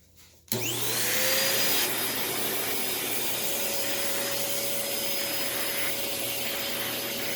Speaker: so yeah this one i really like it's a lot quieter